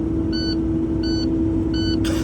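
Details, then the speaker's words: Truck air-brake system at diesel idle after start-up: short high beeps of the low air pressure warning, air too low to move the truck; stops past 60 PSI (tank about half full), and 120 PSI is needed before moving. "Anytime you start the truck, you hear this noise, this is beeping. That means you don't have enough air to move the truck. That's why it's beeping."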